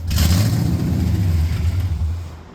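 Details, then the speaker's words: Camaro with a cammed 6.0 LS V8, previously hydrolocked and locked up, now running without the radiator and still needing a tune: deep V8 catches, revs briefly, then settles to a smooth strong note; running again. "All right, it's alive again. Yeah, get a good tune on it now."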